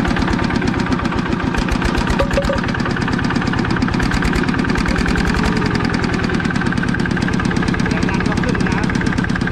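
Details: Used 105 LM single-cylinder diesel walking-tractor engine with front hand crank: quick, even thumping at steady idle, no misses or extra knocks; normal healthy idle.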